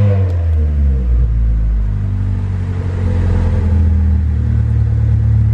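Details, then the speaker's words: Honda Civic EK coupe, all-motor D16 single cam, tuned without IACV: revved, then slowly settles back to about 1,000 rpm with no dip below idle; deep even note, idle behaves normally. "And see how it kind of slowly came back down to around 1,000 RPM there? That's kind of what you're looking for."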